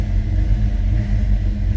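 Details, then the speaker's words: 1965 Ford Mustang convertible 289 V8, rebuilt, bored slightly with a mild cam: steady, even rumble with a smooth, regular beat and no knocks or misses; healthy idle. "This is a nice sound to it. Listen to that. Sounds healthy."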